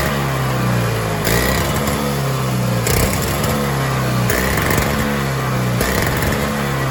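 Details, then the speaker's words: Toro two-stroke single-stage snowblower, owned about 5 years, unloaded after the carburetor jet was filed open: revs climb and sag about every 1.5 s, constant surging; jet fix did not help, new carburetor suspected. "nothing the only thing I can think of is maybe a new carburetor it's just constantly surging surging surging"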